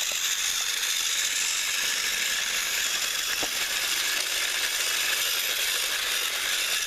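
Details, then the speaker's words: Repaired TrackMaster Salty toy train, once seized and only buzzing weakly, final track test pulling slide-door vans: steady, high, buzzy whirr with a slightly rough gear edge. It runs evenly but not perfectly smoothly. "Let's see if he can go. And there he There he goes. He is moving."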